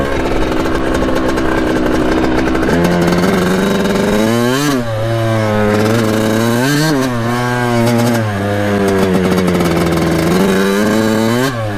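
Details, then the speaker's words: 1989 Kawasaki KX80 big bore two-stroke after a jet replacement, ridden in second gear. Repeated pulls lag, then jump late, showing a weird power band. The new jets helped, but the owner thinks it may be running lean. "but the power back kicks in very very soon or very late so that's the only problem we're having with them now"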